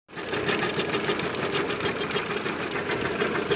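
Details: 2013 VAZ (Granta/Kalina/Priora family) engine at idle: a fast light ticking knock about three per second from the belt area, not the hydraulic lifters; no error codes, revs don't affect it; the cause was found to be the belt.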